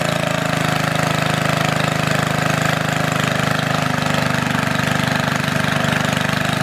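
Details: Antique Goodall-Modern edger with 3hp Briggs & Stratton engine, last run mid-1990s, started after fuel turned fully on, many recoil pulls needed; single-cylinder chugging at steady beat, about eighty pulses a minute, even; normal running.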